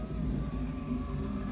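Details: EcoBoost DeLorean driver-side power window, after a DMC Houston replacement window regulator and motor were installed. The window goes down with an even, steady motor hum and no catches or grinding: normal power window operation.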